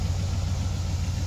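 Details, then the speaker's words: 1990 Dodge Ramcharger 2WD pulled from a junkyard tree line after sitting since about 2014, new battery fitted: steady, even low V8 rumble with no misses, knocks or surges. Normal, smooth idle. "go ahead and look here I mean she's idling like a [Music] dream"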